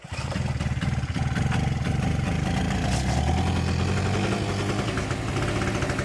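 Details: Two-stroke generator needing carb clean, leaking fuel badly from carb, no front cover: buzzing fast idle with uneven pulses and slight hunting; rough surging, overfuelling and smoking as the float is stuck.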